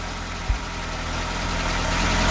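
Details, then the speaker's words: Narrowboat's old London taxi diesel engine just after repair and fuel-system bleeding: single bump at the start, then a low chug settling into an even, unbroken idle with no misses; normal idle. "You can hear it's an old London taxi engine. That was a relief to get that finally sorted."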